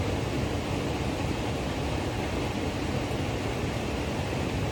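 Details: Trane variable-speed furnace blower motor during fail-and-repair: steady even rush of air with a soft low rumble, no rubbing, ticking or squeal; board flashes 11 (1100 CFM), which is doubted, so the door is to be fitted to check ramp-up; runs smoothly.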